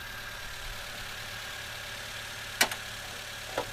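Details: Toyota Avanza after repair of a rough, rattling engine with new tensioner and partly replaced lifters: quiet, even idle with a steady low hum and no top-end tapping or rattle; normal idle.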